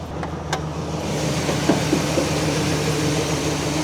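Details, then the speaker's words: Old Chevy Silverado 1500 after sitting for years, newly replaced fuel pump: uneven hesitant idle with irregular stumbles, missing on one or two cylinders; suspected need for spark plugs, wires, coil packs, injectors, not confirmed. "Yeah, it's definitely missing on one cylinder or two. So, what that did is just revealed you probably need spark plugs and wires and coil packs, injectors."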